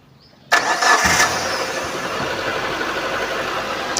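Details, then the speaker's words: 2018 Suzuki Carry Futura pickup with a dry, leak-free engine: quick crank, catches at once and settles into a smooth, quiet, even idle with no knocks, rattles or suspicious noises; normal start and idle. "mesin udah di starter, suara mesin stasioner masih oke, masih bagus, masih halus, aman. Suara mesinnya masih adem, tidak ada suara-suara yang mencurigakan."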